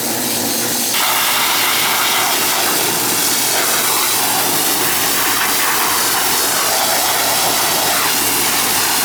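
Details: Older outdoor AC condenser with TXV on an August day: steady rushing fan air over a smooth compressor hum, constant with no clanks, buzzing or cycling; condenser running normally.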